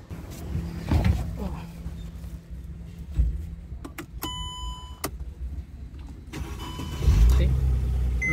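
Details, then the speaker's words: Mercedes C300 with a no-crank, no-start fault, fixed by swapping in a replacement relay: after the dash chimes, a short crank and it catches into a steady idle, so the starter circuit now works properly. "it's working great success [Music] now it's perfect that means that really helpful"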